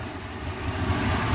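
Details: Petrol inboard boat engine after a fix for hard starting and low RPM (stuck at 4000 of an expected 5000): fuel restriction cleared, fuel pump primed. Steady, even low rumble with no misses or knocks, a smooth idle.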